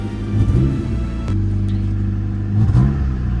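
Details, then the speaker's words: Honda Civic that sat since last May after a ball joint broke; engine starts, then runs with an uneven, lumpy rumble and wavering speed; owner suspects bad petrol, cause not confirmed; a temperature sensor is suspected faulty and a transmission problem is also noted. "it's it's not a good sound, but I think the petrol is it's wrong also."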